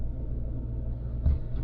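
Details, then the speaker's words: Van after an exhaust leak was patched: deep, even rumble at idle with no popping or rasp. The exhaust now exits properly and the engine runs smoothly. "yeah it's running and it actually does sound pretty good the exhaust is now coming out"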